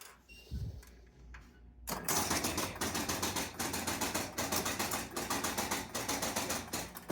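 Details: Jumping Jack pinball machine after cleaning switches on the W relay and a stuck-open bank of score reel switches; hum then quick clacks about once a second as reels and relays step: normal game start sequence.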